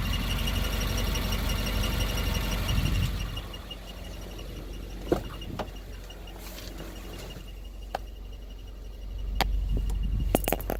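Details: 2015 Subaru WRX at idle: a thin, steady high whir over the idle fades out mid-clip and returns, from a clutch throwout bearing starting to fail.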